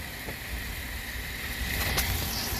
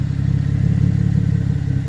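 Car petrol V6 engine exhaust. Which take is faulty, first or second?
second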